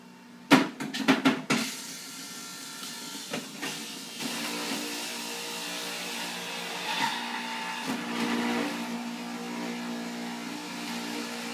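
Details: Fusion Juicer, recently cleaned, juicing apples: opening thumps and clatter as fruit drops in, then a steady, even, high motor whir with no grinding or wobble. Juicer running normally.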